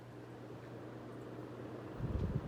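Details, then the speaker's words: Vintage Encon Premier Deluxe 36-inch four-blade downrod ceiling fan, glass globe missing, running in downdraft on high speed: low, steady soft hum with no ticking, rubbing or wobble, then handling noise; normal operation. "now I should have it in downdraft and we'll start with high speed"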